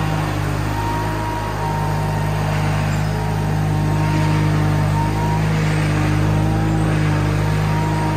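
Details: Case 1816C skid steer after sitting 10+ years in a barn: steady low diesel drone holding an even beat as it pulls away under its own power, no knocks or grinding, running healthy.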